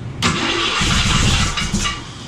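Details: Summit 302 crate V8 in a 1967 Mustang, first start, car still on the lift: the starter spins the engine briskly and evenly with no dragging or grinding, and it nearly catches before fading; normal cranking.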